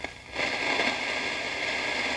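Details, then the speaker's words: 1955 National Schools hand-wired tube radio receiver with no antenna connected: a short pop, then a steady crackling hiss with no station; the set is alive and picking up only static. "I give it some volume. Oh, that's a good sound. That's the sound of reception. No antenna."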